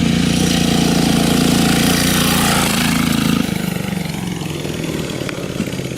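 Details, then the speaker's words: Cheap Temu turbo diesel go-kart engine running on a 50/50 water-methanol mix: even diesel clatter holding steady, then easing off smoothly as throttle drops, blowing smoke rings; sounds healthy, normal running. "that's a different color [Applause] smoke it sounds good yeah look at the smoke rings"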